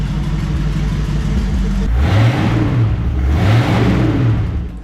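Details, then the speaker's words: 1967 Ford Mustang V8, sitting since 1986, deep even burble firing on all eight cylinders at idle, two clean throttle blips rising and falling smoothly with no misses or knocks; normal revving. "If nothing else, we got a good engine here. She sounds real healthy."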